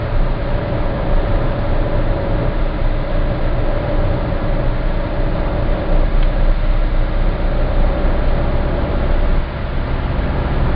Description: Strange noise (28Hz) at approx. 1700 rpm. That noise happens only under low load. A bit more or less gas and the noise stops.